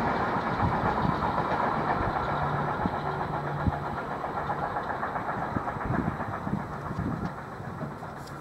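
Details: Freight train hauled by locomotive 189 005 rumbles past with sharp repeating thumps and clicks from flat spots on its wheels.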